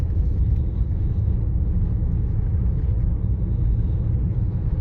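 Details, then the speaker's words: Car interior, windows up, budget RoadX tyres on coarse chip road before Continental CC7 swap: steady low droning rumble at cruise, nothing above it; tyre roar, possibly road surface. "it's quite rumbly could be the state of the roads as well but we'll test it on the same road"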